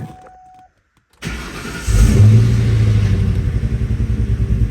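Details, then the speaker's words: 2003 Ford Mustang GT V8 before installing new MSD coils: the engine starts into a lumpy, uneven, stumbling idle, a bad misfire attributed to the old coils. "oh it sounds so bad started it up it like has idling problems and you can hear it go do do dot it's Prett pretty bad"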